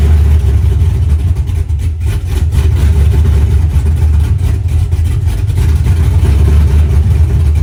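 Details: BMW E46 with engine swap, after a no-crank/no-start electrical fault from adding ignition power and ground at once was traced to a blown relay and fuses: deep steady V8 rumble, smooth even idle, no misses or knocks, healthy.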